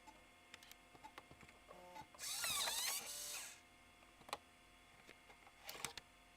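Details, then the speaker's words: Cleaned-up floppy drive for a 25MHz Macintosh IIsi, formatting a disk: quiet, even head-stepping ticks with a short buzzing seek burst in the middle; the drive sounds normal. "Drive sounds good, though."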